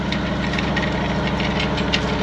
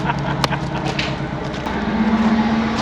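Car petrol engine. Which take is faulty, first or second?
second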